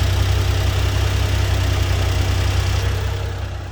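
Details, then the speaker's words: 1995 Honda Acty SDX 4x4, 660cc three-cylinder, 5-speed, 106,000 km, fresh timing, water pump, valve adjustment and plugs, started then idling with AC on: catches and settles into a steady low idle, even pulses, no knock, ticking or smoke; healthy. "no smoke okay and that's with the ac on so let me demonstrate maybe you can hear the rpms i don't know if the microphone is going to catch that dropping down"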